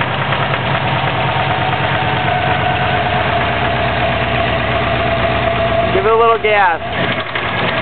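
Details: 2004 Subaru WRX stage 2 engine (stock turbo/TMIC/injectors, Enginuity tune, 22 psi boost, downpipe, 2.5" cat-back, up-pipe), heavy knock since doing donuts on pavement: steady idle with a deep, heavy knock two to three a second; rod knock suspected, unconfirmed.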